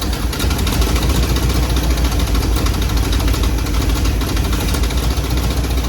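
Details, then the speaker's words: 1957 Chevy Bel Air, 350 Chevy crate V8 with new Edelbrock intake and Rochester Quadrajet, first start in years after fuel system repair: deep idle rumble with a slightly uneven beat; runs rough, possibly from timing retarded too far. "doesn't sound like it's running real smooth it's probably the carburetor change all spark stuff"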